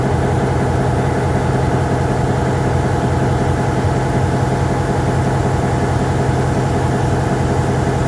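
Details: MP15 switcher locomotive on DO-1 that started right up, unlike the second unit that had a hard cold start on weak batteries; deep, steady diesel throb at an even beat, no stumbles or knocks, healthy idle.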